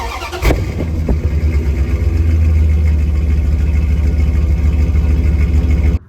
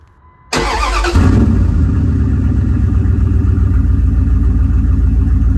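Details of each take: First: 2001 Dodge Ram 1500, about 215,000 miles, after a new catalytic converter, muffler and tailpipe: the engine catches, rises and holds a smooth, deep, even drone with no rattle, hiss or puffing before cutting off; the exhaust sounds healthy. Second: 2001 Dodge Ram 1500, about 215,000 miles, muffler cut off during catalytic converter and exhaust replacement: cranks and catches, then a loud, deep, raw throbbing idle with no muffling.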